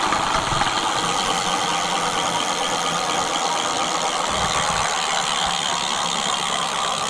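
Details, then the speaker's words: Mate X 20x4 fat-tyre electric bike, hub motor at throttle with brake removed, camera held by rider: continuous gritty rasp with fine ratcheting texture while the motor spins; owner suspects the internal gears, not confirmed. "Right, so I'm going to take it apart because I'm thinking it could be the gears."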